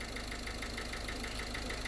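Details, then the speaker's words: Ford Connect 1.8 diesel, about 2015, idling: sharp, evenly spaced knocks about seven per second over a quiet idle; piston knock in one cylinder, located with directional and piezo microphones and oscilloscope against injector pulses; knock disappears with throttle body fitted. "но для того чтобы заглушить мы обязаны снять дроссельную заслонку потому что дроссельная заслонка 2 компрессировать двигатель и он этот стук не появляется"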